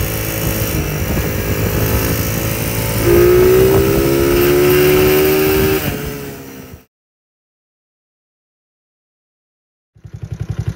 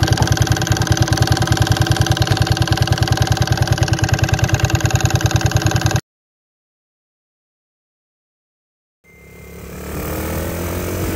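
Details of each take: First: Small engine revving with a sharp metallic rattle and ping: detonation, first suspected as a loose connecting rod. The cause was a mismade stator plate and/or flywheel advancing ignition timing, firing before the F mark. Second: Small single-cylinder engine after fixing advanced ignition timing (mismade stator plate/flywheel causing detonation ping), pickup coil repositioned: even, steady thumping around 200 per minute with no rattle or ping, runs smooth, then cuts off; normal running.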